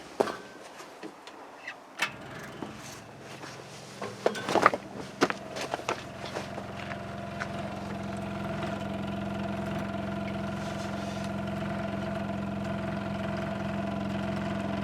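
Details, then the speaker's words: Add-on electric fuel pump on a Link Belt 2800 being primed with the key on after the fuel system work (tank found full of debris, pick-up screen cleared, water drained); a steady strained whine while it slowly self-primes a likely dry line. "I can see it going up going up slowly it's not happy about it makes sense it's probably pretty dry"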